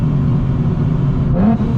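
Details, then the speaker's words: Nissan 370Z with a newly installed supercharger kit, on a pull: a strong, even pull with a steady deep drone and no knock, slip or belt squeal. Normal supercharged engine under boost. "damn that sounds good that sounds so good right after the pools no issues finally working right"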